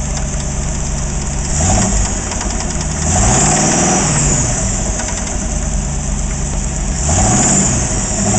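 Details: AMC 360 V8 idling with irregular light rattle and knock, throttle blips raise revs; knocking began after overheating, oil old and wet with no metal shavings; cause unknown.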